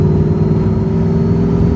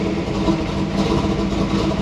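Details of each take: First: 1996 LT1 Camaro with a brand-new third alternator putting electrical interference on the wiring: steady whine from the speakers over the engine drone, getting louder, tach bouncing, at low rpm. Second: 1996 Chevrolet Camaro LT1 after fitting a used spare alternator to fix electrical interference: steady even idle, smooth low rumble, no misses, ticks or whine; charging, no speaker interference.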